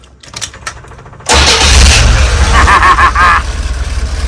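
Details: Chevy van after fuel injector O-ring work for suspected gas flooding of the engine: brief crank, then catches at once and settles into a steady, even idle with no stumble; normal clean start.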